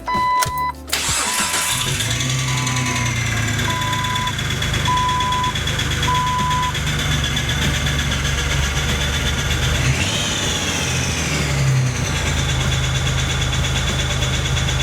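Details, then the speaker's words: 2003 Jeep Wrangler TJ just after a transmission replacement, first start: rough idle with a busy, loud tapping clatter; owner suspects a bad throwout bearing that was not replaced, unconfirmed. "Something sounds really weird. I think the throwout bearing is bad on this one."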